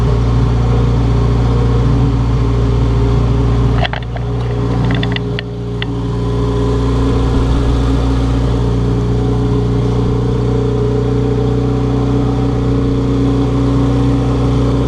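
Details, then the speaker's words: Turbocharged B20 VTEC swapped into a 1992-1995 Honda Civic Si, after reassembly with welded cracked downpipe and intercooler: steady, even idle with smooth low drone and a brief rev blip; runs really well and clean. "Sounds like it's running really well."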